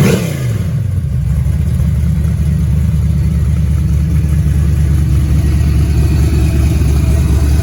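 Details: Rebuilt 6.0 LS V8 on a run stand, fed from a 5-gallon bucket fuel cell with a Silverado pump, after the new AC Delco crank sensor was swapped for the original GM one; strong, even rumble picks up quickly with no knocks or misses, normal start and rev.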